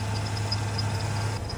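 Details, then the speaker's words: 1994 Ford F-150 with 302 V8, sat over a month, drive belt seems to move around, shifter hard to get into gear: low, steady, really smooth idle with no knocking, faint high chirp over it. Normal idle. "the gear shift is kind of messed up it's kind of difficult to get it to go in gear but it does uh it idle really really smooth doesn't it"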